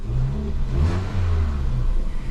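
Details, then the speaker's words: Ford Fiesta 1.25 Zetec after a misfire repair, restarted after being switched off: engine revs up and settles back cleanly and evenly, no stumble or popping; running smoothly on all cylinders. "wait a minute then we'll start it again ready rev no missfire we done it"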